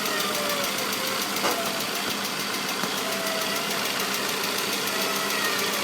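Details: 2004 Saab 9-5 petrol engine at idle: a thin wavering whine, almost like a cat, comes and goes over a strong hiss; cause unknown, owner asking what it is.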